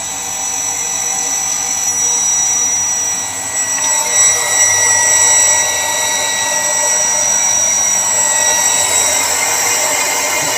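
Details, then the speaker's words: Shimizu water pump after repairing shorted, broken cable: steady high-pitched motor whine with even hiss, no knocks, rattles or surging; pump now runs normally. Normal running. "pompanya ini sudah normal Dedes sudah mau nyala"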